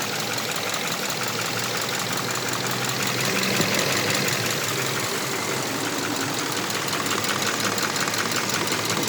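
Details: Subaru Impreza FB20 petrol engine at idle with steady light ticking about three clicks a second, heard around the pistons on each side. The owner asks whether the valves need adjusting; the cause is unconfirmed.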